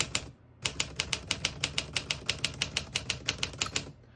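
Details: 1949 Smith-Corona Silent portable typewriter, all functions working: crisp, even keystrokes about three per second with clean mechanical snaps and no drag or sticking; healthy typing action.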